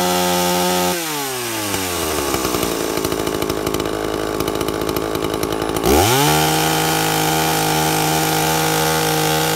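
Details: 2-stroke chainsaw with an impulse diaphragm carburettor at full throttle, high jet set slightly rich by ear. It bogs from a high scream to a steady lower pitch as the chain bites wood, then revs back clean. Tune right under load.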